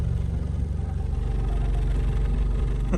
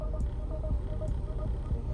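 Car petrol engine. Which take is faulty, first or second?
first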